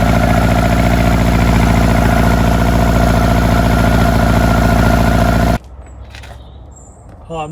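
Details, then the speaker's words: Lotus Elan finally running after earlier failed starts that the owner thinks flooded it: a steady, regular idle pulse for about five seconds before cutting off, with no misfire. Normal running. "Um, so that's been a success. I got the engine running. I think I've flooded it before."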